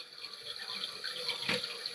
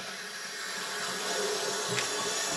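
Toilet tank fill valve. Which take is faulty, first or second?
first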